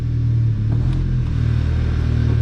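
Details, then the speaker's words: Mk6 VW GTI after replacing a seized exhaust-side balance shaft with two new balance shafts, chain and tensioner: first start after repair, steady even low idle with no knocks, rattles or chain slap; healthy, warming up. "Awesome. Sounds good. So we'll let it warm up for a bit."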